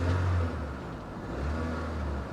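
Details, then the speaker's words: Copart salvage auction car with minor front cosmetic damage, started without a jump: a light rev. A low, smooth note swells and settles evenly without misses or knocks; the engine sounds normal and healthy. "sounds real good. This is nice. This is real nice."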